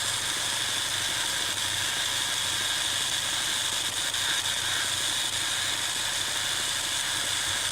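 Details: 2017 Ford Focus RS: strange steady high-pitched hiss-like buzz that seems to skip in and out a little, faint whine around four thousand, barely wavering over idle; unexplained buzzing, source unclear.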